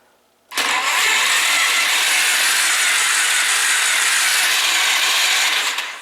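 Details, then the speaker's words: Free 2001 Polaris Scrambler 500 with spark plug removed: even high-pitched whirring about five seconds, no compression pulses; starter spins engine freely, confirming starter works. "we know the starter works and yes it sounds like it has no compression because it won't actually turn over if the plug's in it"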